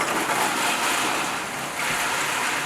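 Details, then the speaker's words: Electric water heater refilling after draining and flushing, drain valve closed and supply ball valve reopened: steady rushing hiss of water flowing in freely, no rumble or knocking; normal tank refill. "We're going to close our TMP back for the time being. We're going to turn our valve back on, our water supply valve."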